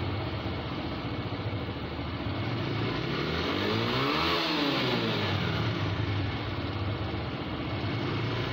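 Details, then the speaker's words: TVS Raider 125cc BS6 bike, 2500 km, after fixing a missing/jerking problem: engine revs up and back down smoothly, firing steadily with no missed beats; running normally. "Bike हमारी okay होगी bike में कोई missing नहीं"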